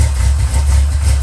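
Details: G-body Monte Carlo SS at idle; oil pressure gauge reads zero because sender not hooked up: smooth steady low rumble, no knocking or ticking, healthy idle.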